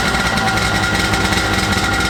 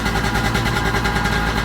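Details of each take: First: 1995 Sea-Doo GTX two-stroke after exhaust leak repair with new gaskets and RTV, started on choke in the driveway: steady, even drone with crisp exhaust beat, no misfires or rattles; running good. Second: 1995 Sea-Doo GTX two-stroke revving on the flush water hose: sharp raspy popping chatter on each firing pulse; exhaust leak between exhaust manifold and pipe, later fixed with new gaskets and RTV.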